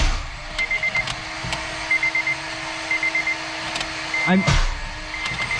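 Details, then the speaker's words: 8th-gen Honda Civic Si during boosted build, priming oil system with fuel pump fuse pulled: steady starter whine continues under warning chime after key released, engine not firing; starter suspected stuck engaged. "that's just starters it's stuck dude what the [ __ ] might just be stuck that's no that it was disengaged but it was still spinning"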